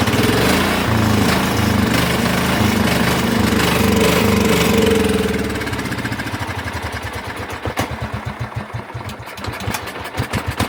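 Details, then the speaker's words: Cub Cadet HDS mower engine after carburetor cleaning, running on bad old gas: runs steadily at first, then stumbles with uneven firing, gaps and surges; rough running, running on its own poorly. "I can smell the bad gas burning. Okay, I'm not hooking the jack back up just because my uh Come on. Come on now. [Music] Oh, that'll do it. Just once like that. But she's running on her own poorly."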